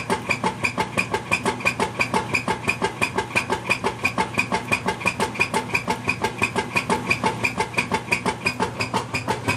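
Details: Whirlpool LSQ9200LQ0 top-load washer on the agitate cycle, making a loud rhythmic clacking of about three sharp beats a second.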